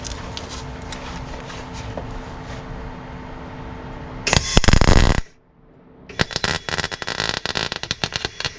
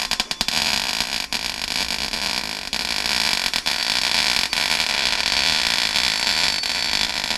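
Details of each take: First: MIG welding Rover P6 inner wing with gas on and clean nozzle: uneven crackling and popping in short bursts, never a smooth sizzle; spattery weld the welder blames on old, poor metal. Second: MIG welding Rover P6 inner wing repair after adjusting wire speed and turning voltage down following a blown hole in new metal: steady even sizzle like frying bacon, no popping; arc settled, nearly good weld.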